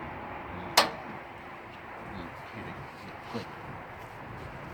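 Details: Gas grill being lit: knob pressed and turned to let gas flow. One sharp click, then a fainter one a few seconds later over a quiet room; the igniter is sparking normally.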